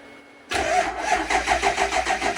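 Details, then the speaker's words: Overkill XJ off-road rig, front wheels off the ground: starter cranks with steady even pulse about five per second but doesn't catch; battery said to be dead, hard start. "Battery's dead though. It's sounds like it's gonna start. Try it again."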